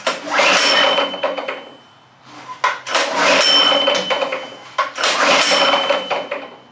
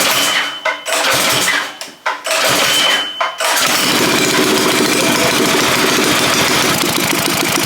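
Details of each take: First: Go-kart engine, loosely mounted after internal work: harsh, ragged cranking surges with no firing beat; sounds terrible, pushrods found off so valves not working. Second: Predator 212 single, after refitting pushrods and getting fuel to the carb, engine loosely mounted: a few pulls, then catches into quick, even chug with no misses; healthy start.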